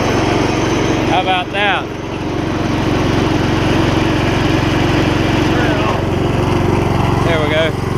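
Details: Old Gravely 16 Professional walk-behind mower, sat about a year and a half, formerly frozen mower deck now freed and working: steady engine drone, blades turning with even hum, no squeal, scrape or belt slap; deck runs normally, belt longevity uncertain.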